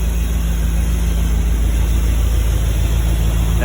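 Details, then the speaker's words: Dodge Dart V8 after new leads, new plugs, points gap set, firing order corrected and carburetor tweaked: deep, steady idle with an even low pulse and no misfire; running smoothly. "point stuff is a whole lot better now i've changed the set of leads change set of plugs and just doing a bit of tweaking it's getting better"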